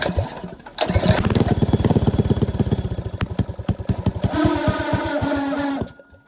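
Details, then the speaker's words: Cheap go-kart small engine on starting with some throttle: fires in rapid uneven bursts, then a rough, lumpy clatter; owner hoped it was the clutch engaging. "what the hell was that noise is it trying to engage the clutch that's what I'm hoping it was cuz that sounded horrible"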